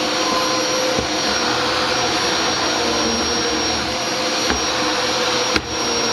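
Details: Dyson DC07 vacuum test after fixing the brush bar bearings, where a big gob of hair caused a squeal, not the suspected clutch: steady, even motor roar, no squeal or chirp; running smoothly.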